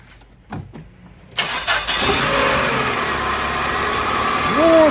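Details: 1996 Chrysler Voyager 2.4 petrol after repair of its misfire, fuel pressure at 3 bar: the starter whirrs, then the engine catches promptly and settles into a smooth, even idle without coughing or misfire; the faulty injector was identified as the cause.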